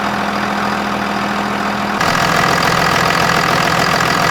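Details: Second-gen 24-valve Cummins diesel truck after water pump replacement: steady, even diesel clatter at idle with a small step up in speed partway through, no knocks or misses; sounds healthy.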